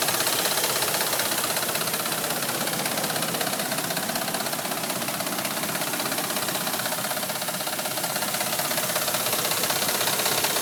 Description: My gas ram makes this horible ticking noise. Sounds like a diesel truck.